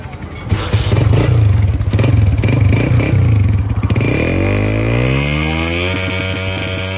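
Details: Honda CG 125 single-cylinder motorcycle after a misfire fix: starts with a clatter, revs up, then settles to a smooth, even idle with no obvious misfire.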